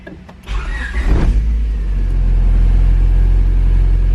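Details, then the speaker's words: 2000 Honda Civic Si with stock B16 engine, heard from inside the car with chimes beeping: short starter whirr, quick catch with a rev, then deep steady idle without misses or knocks; normal healthy start. "most of cars don't sound like that anymore they all have a similar sound but not quite as distinctive as that"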